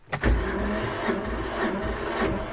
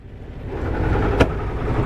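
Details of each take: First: 1978 Yanmar YSB8 marine diesel in an abandoned sailboat, sat 10+ years flooded; cleaned battery terminals and carburetor cleaner in the intake: strong rhythmic cranking about three compressions a second, one near-catch, then dies with smoke; fuel pump has no fuel. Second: 1978 Yanmar YSB8 marine diesel, sat 10+ years in a flooded boat, first run in years, at about its lowest idle, shifted into forward: low steady rumble staying smooth; propeller turning, healthy.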